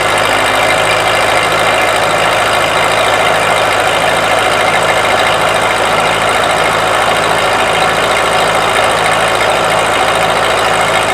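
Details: Ford 8N tractor (positive ground) after a buzzing no-start was fixed by cleaning the battery posts: starts cleanly and holds a steady, even idle with a regular low pulse and no knocks or buzzing; it later stalled, possibly needing warm-up. Normal idle.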